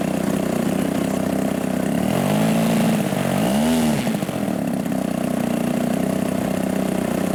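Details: Robart P-47 model airplane engine, cool air: small single runs rough and uneven at low throttle, sagging when opened; low-speed mixture too lean, can't hammer the throttle, low end needs opening up. Lean low-speed mixture.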